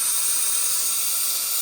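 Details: 2003 Ford 6.0L diesel, valve cover off, engine not running: air pressure test gives a steady sharp high hiss past failed injector O-rings, far back and center seals gone; causes no-start, usually on hot start.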